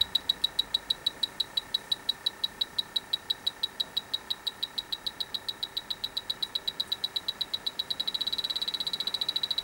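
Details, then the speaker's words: Dry air generator that lost its refrigerant, electronic leak detector at the evaporator coil: sharp high beeps at about eight a second, speeding up near the end. Refrigerant leaking at the evaporator coil. "It is going off in the roughly the same place, both sides. coming from this side."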